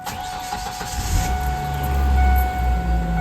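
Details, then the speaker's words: Ford Ranger 2.5-liter four-cylinder after fuel injector replacement, primed four times before starting: after a priming buzz it catches within a second and settles into a smooth, steady run; fuel rail later found disconnected and leaking fuel. "Okay, running well. So far, so good. Running strong."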